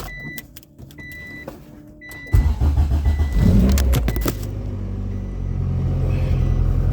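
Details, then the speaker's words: Honda DA Integra after installing a plug-and-play JDi main fuel pump relay kit with kill switch; door chime, brief crank, catches cleanly and settles into a smooth, steady idle with no misses; normal start and idle. "no gimmicks Plug and Play true Plug and Play car is running idle and fine no issues"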